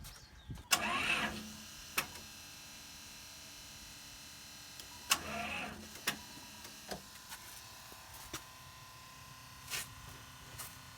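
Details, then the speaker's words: RV with two batteries at 11.9 V, bad corroded connections: two short, feeble starter groans then scattered clicks, never catching; owner suspects batteries lack cold cranking amps; weak cranking from low battery. "I think these two boundaries here don't have enough cold cranking amps to do this"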